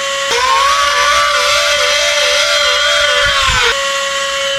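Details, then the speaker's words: Battery-operated handheld mini vacuum after lubricating its motor: spins up to a clean, steady high whine with no grinding or rattle, sounding like new. Normal motor run after repair. "we got her all done and it sounds a million times better sounds exactly like it did when it was new"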